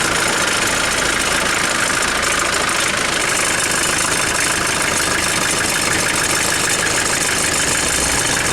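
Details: 1996 Mitsubishi L400 Delica 2.8L 4M40 diesel, first start after head gasket replacement on a battery charged overnight: steady, even diesel clatter at idle with no misses or heavy knocking; the engine runs smoothly.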